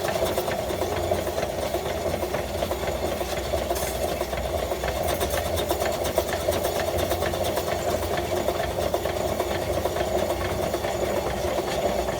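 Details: 1915 Stanley Steamer Mountain Wagon steam engine: quick even tapping, one light knock per revolution, over busy mechanical clatter; engine knock.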